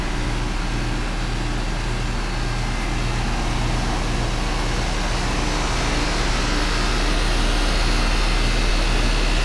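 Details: Rheem air conditioner condenser, manufactured 04/04, roughly four tons, paired with a Miller furnace indoors; kicks on and holds a steady, even low hum with a constant whoosh of air, running smoothly.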